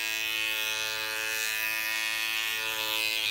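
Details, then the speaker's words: Andis cordless T-outliner with non-stock blade: the blade lifts up when switched on and is not set right, giving a steady high buzz with a harsh rattle and heavy vibration. Blade rattle and vibration. "to see that blade in there it's super vibrating is reps it's like a it's like it's got a rattle on the inside it's got a rattle on the inside"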